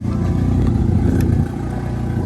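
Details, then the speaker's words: Turbo Miata with flex pipe ripped out: loud, coarse, low chuffing rumble clattering like a tractor as the engine runs; exhaust leak at torn flex pipe. "As you can hear, the Miata sounds like a straight tractor. My flex pipe ripped out when I was leaving the car show the other week."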